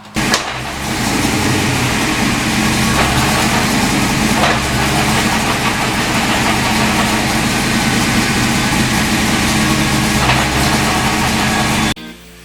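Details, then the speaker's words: 1986 Mustang GT with T5 transmission idling in gear, emergency brake on under load, loudest in reverse: steady idle drone with a faint whirring over it; gearbox gear noise, cause not pinned down; T5 later swapped for a low-mileage unit. "I put the emergency brake on you can hear it and especially if it's in Reverse you can really hear it so I'm gonna start it for you guys let you hear the same"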